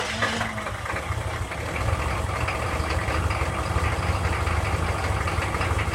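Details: 6.5 diesel at 70°F: catches briefly after cranking, then settles into a rough, uneven clattering idle; hard starting, cause not evident.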